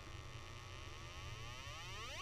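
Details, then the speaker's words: Breadboarded 555 timer signal generator with potentiometer in parallel with a timing resistor: buzzy square-wave tone rising steadily in pitch as adjusted; clean square wave expected until very high frequencies, where duty cycle degrades. "now and I should have a pretty a pretty good square wave until I get to the real high frequencies"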